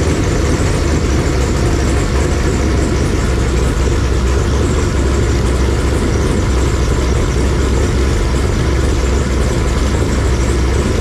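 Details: Fresh 496 big-block Chevy V8 on a run stand, break-in, about 15 minutes running near 170°F, oil pressure 55–70 psi, leaks fixed: deep, even rumble holding steady with no knocks or ticks. Normal idle.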